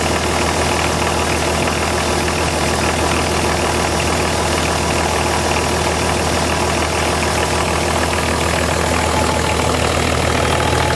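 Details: VM/BMW D190 marine diesel first start after rebuild, liner, piston and head from a VM 2.4 L; loud idle with irregular knock near 200 a minute, rough running from air in fuel via leaking front injection pump seal.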